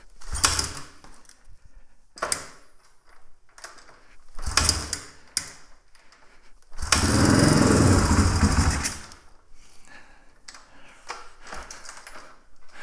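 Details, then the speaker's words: 1997 Suzuki DR350 single-cylinder that backfires, dies on throttle and starts hard, started on choke: catches in ragged bursts, surges then sags and stumbles, won't hold steady idle; erratic idle, cause not confirmed. "when I start this up on choke right when it starts the idle starts to fluctuate so listen for that if it's steady we may have made some positive [Applause] change"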